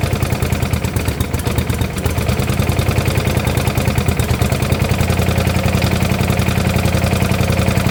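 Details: 1972 Gravely 816 with Kohler Command 18, first run after carb end was cut off: rough engine catches with a heavy beat and clattery knocking. Power steering also not working. Motor judged pretty much blown up, likely why it was parked.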